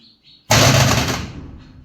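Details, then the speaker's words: 75 kW/100 HP motor starter contactor chattering with a loud rapid rattling buzz and hum on switch-on; suspected causes are carbon on contacts, crusher-line dust, or the coil not getting proper current. "देखिए इसको जैसे ही चालू कर रही है इस तरीके की आवाज कर रहा है यह फड़फड़ा रहा है और थोड़ा साउंड भी इसमें आ रहा है"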